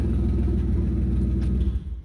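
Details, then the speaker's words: Beater car idling with its muffler ripped off: loud, deep rumbling idle with a raspy pulsing drone from the exhaust leak, before a can-and-strap repair. "So today I'm going to be fixing my exhaust leak. It had got ripped off. It has fell off a few times in the past."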